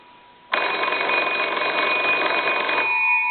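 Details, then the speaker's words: Old wooden wall crank telephone, most likely a Kellogg, after repair, rung with the receiver hung up: bright, rapid, even bell strikes for about two seconds, then fading. Ringer working properly. "so that turns nice and easy and rings the bell"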